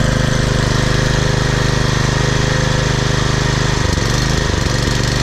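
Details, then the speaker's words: Troy-Bilt Super Bronco counter-rotating rear-tine tiller with a 208cc overhead-valve engine, after a clogged carburetor jet was cleaned, still burning old gas: the small single-cylinder engine runs at a steady, even beat with a brief throttle change and takes throttle well. Healthy running. "this Troy build super bronos is running much better now to all the way off idle's really good it's still burning that old gas in the tank and takes the throtle really well"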